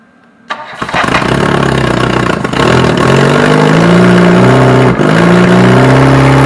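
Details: Reliant Robin on its first start attempt, once fuel has been added. It cranks, catches within a second and keeps running, climbing and falling with throttle blips and pulling cleanly with no misses.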